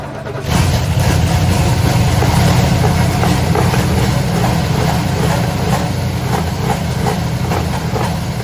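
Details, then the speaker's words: 1968 Oldsmobile Delmont 88 with 455 V8, sat 30 years, first start: steady, deep, even idle with loud open exhaust, no knocks or ticks, slightly smoky and needing tuning; motor sounds healthy at normal idle. "Sounds like we got a little tuning to do, but that motor sounds pretty healthy. It's not real noisy at all. Sounds great out the exhaust."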